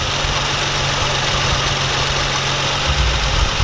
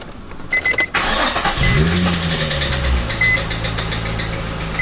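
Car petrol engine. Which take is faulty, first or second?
second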